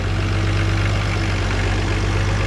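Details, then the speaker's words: 1969 Oliver 1650 backhoe diesel after replacing torn-diaphragm fuel pump with electric pump, about 45-minute run: deep even idle, steady low throb, no knocks, misses or hunting, no smoke unless hammered on the gas; normal idle. "sounds pretty strong not puking out any smoke unless i hammer on the gas"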